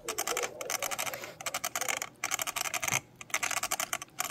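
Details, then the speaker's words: Hypergo 14301 RC truck, bought used, motor unplugged and rocked by hand: dry, rapid creaks in bursts from the front end; owner suspects a worn, ungreased differential. "hear that creaking sound it's definitely up front"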